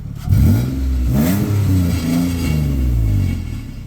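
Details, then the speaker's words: Xterra, 261 hp, throttle snaps: loud, deep, blatty exhaust rumble swelling and falling, from an exhaust leak; a new pipe is planned to quiet it. "let's give it a couple of throttle snaps so we could hear that whole 200 61 horsepower exhaust"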